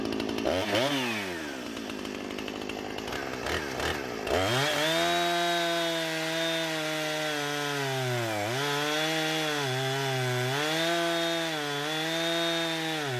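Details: Husqvarna 455 Rancher two-stroke chainsaw with about 4 hours total runtime, previously running rough after warm-up, now after ignition coil replacement: crisp revs dipping slightly as each cut loads it and climbing straight back, no stumble or misfire.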